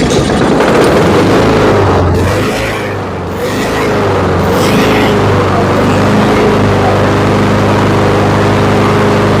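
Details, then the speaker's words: Honda HRX217 lawn mower after carburetor cleaning, jet drilling and new air filter: engine holds steady even speed with no rise and fall; surging fixed, spark plug and oil change still pending. "And that's absolutely perfect. It's even going to run better once I put a new spark plug and change the oil. But you see that there's no more surging."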